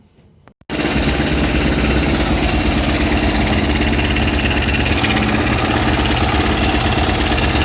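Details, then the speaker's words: Zongshen ZS177MM engine on a Kovi Pro KT, 1300 km and 44 engine hours, recorded through a stethoscope tube after starting: hard steady knock about three per second at idle began after a ride; clutch play and valves checked fine, cam chain suspected. "Так, сейчас я тут флейту вставил, чтобы было слышно, как стучит. Сейчас заведу."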